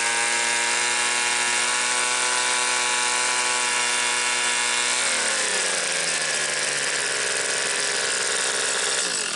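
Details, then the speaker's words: Two-stroke garage sale leaf blower after compression and spark tests: steady high buzzy howl at high revs, then drops off and shuts down; sounds slightly lean, carb to be adjusted for more rpm. "gonna get my pac-man a carp adjusting screwdriver and see if we can tweak you can get a little more rpms out of it it sounds like it's running just a little lean"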